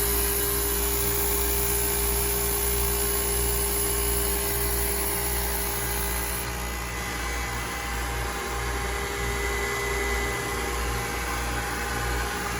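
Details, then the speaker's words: Old 2008 KKT chiller running in tune: steady, even compressor hum with constant fan rush, no knocks or rattles; holding within 0.4 °C of set point, though circuit two compressor has a problem. "that sounds good so if you have one of these chillers this is what it should sound like if everything is in tune"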